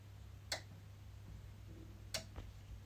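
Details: EcoFlow Delta Pro making two sharp relay clicks about a second and a half apart over a faint hum; solar input repeatedly connects and disconnects for 30+ minutes when panel output is low at early morning and evening.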